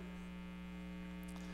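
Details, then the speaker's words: Older pinball machine: constant low, dead-steady electrical hum as weak filter capacitors let AC ripple into the DC; old caps blamed for a louder hum. "you actually get that AC ripple, we call AC ripple, into the DC. And if you can listen to this, you can hear hum. But that's actually because this game is so old, and you know, he's got caps in it and everything, so this game probably had a louder hum."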